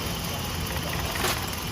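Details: Toyota Vios 1NZ petrol engine that shakes at idle and needs two or three cranks to start in the morning: steady idle with an uneven, lumpy beat, a cylinder dropping out; failed ignition coil found.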